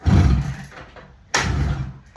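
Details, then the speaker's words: Barn-find 1975 Suzuki GT250 air-cooled twin, kicked over with easy-start spray: a deep heavy thump and roar, then a sharp bang a second later; backfire on kick-start, cause unknown, choke setting to be changed. "Oh, what the hell was that? That didn't sound good."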